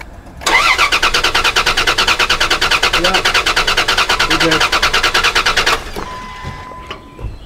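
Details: Dodge Dakota cranking: starter spins engine at steady, even pace about five seconds but never catches; injector pulse present, no fuel pressure; stored cam sensor code unrelated.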